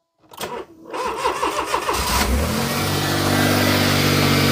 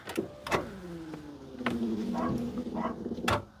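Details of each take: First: Petrol Smart ForTwo after reassembly, subframe refitted, following a seized alternator and failed starter: a couple of seconds of quick, even cranking, then it catches cleanly and settles to a steady idle. Normal start. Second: Smart ForTwo with a previously seized alternator, cranked on a booster pack in neutral: strained starter whine sags in pitch between clicks and never catches. Owners suspect not enough power and consider a bigger battery or jump leads; cause not confirmed.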